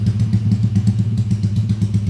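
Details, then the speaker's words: Motorcycle engine rebuilt under warranty after failure (crankcase repaired), freshly started and still tight for break-in: low, steady single-cylinder putter with a light even tick, no knocks or misses. Idles smoothly. "bisa didengar sendiri suara mesin halus ya."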